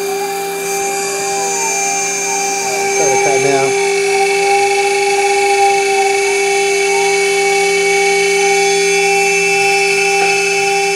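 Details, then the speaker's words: Long end mill chattering while boring the NEMA 17 locating-pin recess in an aluminium heatsink X/Y motor mount, at a slow 150 mm feed with an unfamiliar bit; loud, steady, high-pitched ringing squeal over the spindle noise. "down I really got to work on that chattering"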